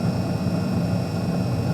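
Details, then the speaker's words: Carrier Infinity 98 modulating-valve furnace, installed May 2014, no repairs since new, first startup of the season: steady even whoosh with constant fan hum, no rattles or surging; normal furnace operation. "And this is a Carrier Infinity 98 green speed furnace. It's a modulating valve furnace."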